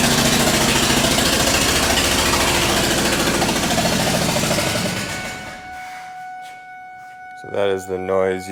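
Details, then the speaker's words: Ford Triton with aluminum heads, engine running: loud, rapid, sharp popping racket at about two pops a second from a spark plug blown out of its stripped threads. To be repaired with a 14x1.25 mm thread insert, new plug and coil. "will hear if your spark plug blows out if you're going down the freeway there way loud it's the first time it ever happens to you it scares the crap out of you"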